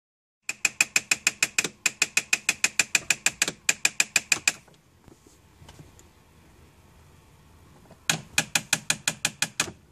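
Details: 2002 Mitsubishi Galant: rapid sharp dry clicks, about six per second, coming in runs that stop and start.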